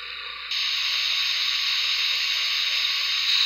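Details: BetaFPV 1102 13,500 KV brushless motors on 1S in HX100SC quad, bearings throughout, tested for effect of bearing oil; high steady whine with smooth even hiss, no grinding or rattle: normal motor run.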